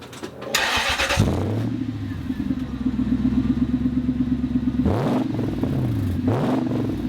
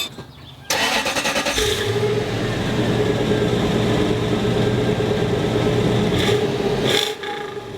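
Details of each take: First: Toyota Land Cruiser 100 series LX470 UZJ100 V8 before exhaust replacement: starts and revs with a loud, raspy, puffing exhaust note rising with throttle, from a hole in the exhaust ahead of the muffler. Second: 1999 Toyota Land Cruiser 100 series (LX470/UZJ100) after replacing an exhaust whose muffler was holed off-road and leaking. It cranks, catches and settles into a smooth, deep, even idle with no leak puffing. Normal exhaust note after repair.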